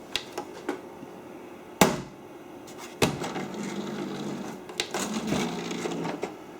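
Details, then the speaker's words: Original Xbox that boots normally but won't read discs: the tray pulls in with clicks and clunks, a short motor whirr, then the disc is ejected immediately and not recognized; cause not yet found. "Let's push it. It ejects it immediately. No, I don't think this is going to work."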